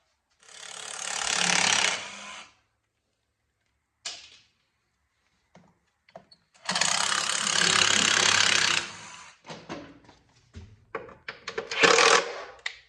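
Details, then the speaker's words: 1984 Honda ATC 200M that sat in a barn for 30 years, part turned by hand during teardown: separate bursts of dry ratcheting clicks with a little play; worn bearings suspected, and a new bearing kit will probably be fitted anyway. "So, this is the noise I was hearing. Shouldn't do that."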